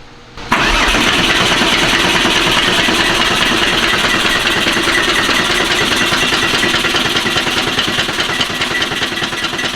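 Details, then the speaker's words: Porsche 964 flat-six cranking before its first start after a rebuild: quick, even starter churn, cranking faster and better than before and likened to an old Beetle engine; oil pressure is coming up. "why does that sound so funny it just sounds like an old ass Beetle engine cranks way faster and way better than it did"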